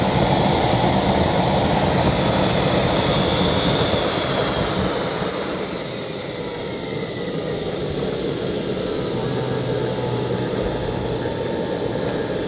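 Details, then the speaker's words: KJ-66 model jet turbine after service and repaired internal fuel lines, successful start on homemade test bench and ESP32/Arduino ECU; constant high roar and even hiss dipping slightly and recovering, no rubbing or rattles. "oh das ist gut so jetzt kühlt er sich ab ich hoffe er raschelt jetzt nicht mehr oder ist nicht mehr am Ende am kratzen"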